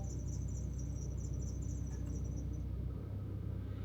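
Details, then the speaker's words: Haval SUV at about 2,800 km idles with a rapid high chirping, about four a second, over the low hum; owner suspects the belt, not confirmed, service planned. "क्योंकि अब बैल जो है ना चिक चिक चिक चिक चिक चिक ऐसी कोई आवाज़ करते हैं।"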